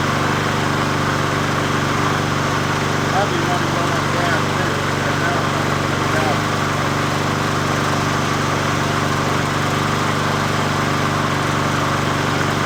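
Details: 20" Murray push mower #20201D after straightening its wobbling crankshaft and cleaning: a steady single-cylinder drone with a constant low hum and no knocking, running evenly at fixed throttle; the owner notes it could be low on gas.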